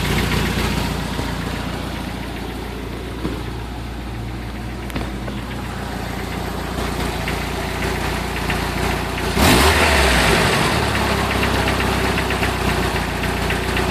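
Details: 1994 Jeep Wrangler 2.5 engine at idle: steady rattling knock about four times a second, then a brief rev; rattles and knocks at low rpm, cause not pinned down.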